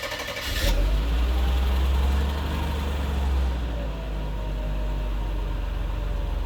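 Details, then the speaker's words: Mercedes 300SE gasoline engine after cold start injector replacement, fuel pressure apparently good: starts and settles into a low, slightly uneven idle that sags and then stalls; cause unknown, the 300SL does the same. "now it sounds good right now uh and then it died that's that's the thing that is starting to do"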